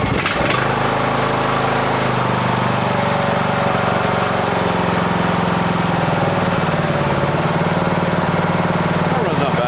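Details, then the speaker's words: 2014 Poulan riding mower, 14.5 hp, 38-inch cut (AYP-built), in for tune-up, oil change and valve adjust; steady, even single-cylinder run, smooth exhaust beat, no knocks or misses after fuel filled the filter once started; runs good. "[Music] that runs good okay"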